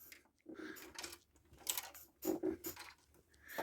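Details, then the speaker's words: Philips VR101 VCR with a stuck tape that won't accept tapes: light, irregular plastic clatter each time the unit is tilted while being picked up; a loose plastic part rattling inside. "It's the sound of plastic moving around. Never a good sign."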